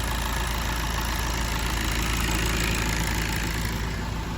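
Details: 2015 VW Golf Mk7 2.0 TDI (CRBC) diesel after timing belt and water pump replacement: even smooth idle with steady low rumble, no squeal or chatter, belt running true; normal idle.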